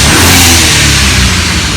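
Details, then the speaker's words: BMW E36 with N54 swap, engine started and free-revved stationary to prove it isn't in limp mode yet: strong rising rev with clean turbo rush, hitting about 10 psi boost; feels really strong, no misfire. "Okay. It feels really strong now. It feels really good."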